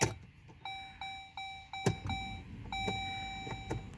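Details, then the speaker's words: 2011 Jeep Grand Cherokee WK2, 3.6 Pentastar: key on, only a repeating dash chime, no starter click or crank, code P0622; broken, corroded engine ground strap cuts the circuit, fixed with a braided ground strap. "turn the key over but nothing happens you know even you know foot on the brake nothing dead yep it just goes dead like it wants to start but nothing happens"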